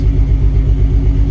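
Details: Jeep XJ bought as a junk truck: deep, steady idle rumble with an even beat, no knocking or ticking, good oil pressure; running normally.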